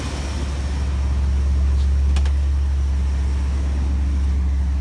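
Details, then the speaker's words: 1965 Ford Thunderbird freshly rebuilt engine, five miles on it, cool morning: even idle with smooth low rumble, no more knocking, good oil pressure; slight smoke possibly leftover oil or rings seating. "five miles on the whole motor but it does sound really good sounds healthy and if not knocking anymore"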